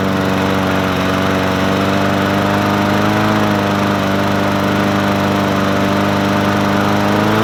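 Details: Murray 20-inch 4.0 HP push mower (20415x8D), a found mower, primed and started on a cold 53°F day: steady, even drone holding its pitch with only a slight lift, no surging or stumbling; running right.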